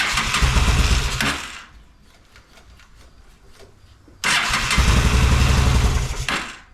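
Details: Honda Shadow motorcycle (possibly 650) that sat almost a decade, old bad gas, on choke with fuel sprayed in: engine roars into life, dies within a second or so, then runs again only briefly; clogged carburettor.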